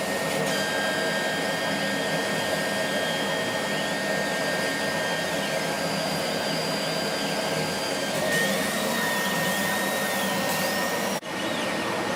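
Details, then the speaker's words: Laser cutter whistle while cutting, cause unconfirmed: a thin steady high whistle with warbling chirps over the air-assist hiss. It appeared after about six months of use and comes from the beam at the nozzle exit, not the air. Current rose 12→13 mA, with no uncut spots. "Это именно писк лазера. Может, я что-то не так понимаю или не слышу, не могу объяснить более научно это явление, но звук издает сам лазерный луч."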